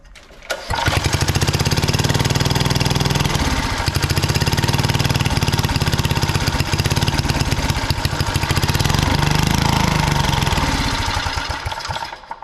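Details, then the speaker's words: Original engine of a 1960s Trojan mini tractor, first run after about 40 years stored in a shed and an ultrasonically cleaned carburettor: loud and irregular, speed sagging and surging; runs, but not well. Carburettor setup needs sorting, no proper fuel tank yet. "so we have it running it's not running amazingly but we have it running"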